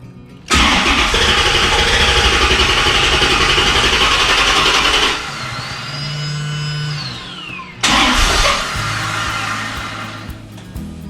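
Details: 1995 Chevrolet Corvette C4 LT1 V8 after performance Opti-Spark distributor replacement: cranks and catches at once, runs strong, then a second start fires cleanly into a steady idle with no misfire; the high-res fault code is now cleared. Normal start and idle.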